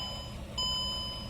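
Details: 2003 Mercedes E320 with a recurring battery drain, being jump-started, corrosion seen at the battery: one short bright chime at key-on over a quiet cabin hum; a malfunction warning.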